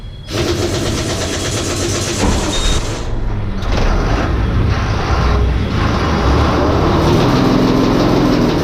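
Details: Ashok Leyland tourist bus diesel after clutch restoration and valve (tappet) adjustment: cranks, catches within a second, settles into an even, steady idle with no knocks or misses; normal start and idle.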